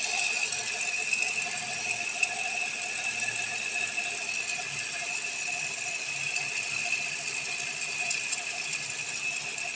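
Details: Hyundai Sonata, started with a jump box after sitting a while: fast thin metallic chatter with a high ring at first idle that then goes away; the belt tensioner and tensioner pulley needed replacing.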